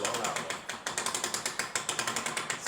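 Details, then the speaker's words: Fiat Panda 4x4 rear differential after fitting a replacement stronger 141 world locker kit, wheel spun by hand before oil refill: sharp even ratcheting clicks six or seven a second, louder than the old kit due to beefier springs and pins; normal. "You spin this wheel, you hear that ratcheting noise. That's louder than the other"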